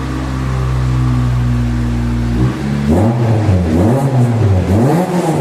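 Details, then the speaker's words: 1993 Honda Del Sol with eBay exhaust and new budget muffler welded in: steady idle then clean revs, loud but much less raspy, louder near 5,000 rpm; healthy exhaust note after muffler repair. "Definitely still loud, but so much less raspy. So much more cleaned up."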